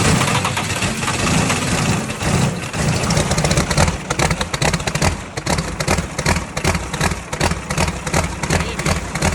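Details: Tucker Sno-Cat with Cummins 5.9 12-valve diesel, no-start after sitting a month, fuel pickup screen suspected plugged: cranks, catches, and after a few blips settles into a steady clattering idle; runs again.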